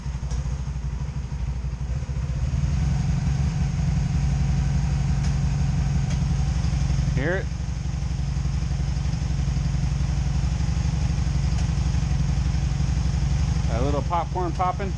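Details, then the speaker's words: 2002 Honda Magna VF750C during misfire troubleshooting, plugs regapped to spec, new wires, warming up with one cylinder hot and one cold: low idle with uneven beat and occasional soft pops from one side; misfire at idle, cause not found. "now that one's warming up that ain't running right yeah oh it's annoying [Music] [Music] you hear it missing"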